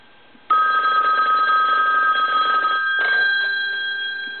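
Bright, clean bell ring with steady metallic tone for about two and a half seconds, then a shorter burst; bells ring normally.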